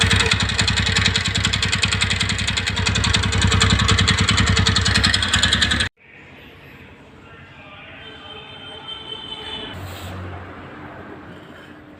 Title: Ntorq tak tak sound problem.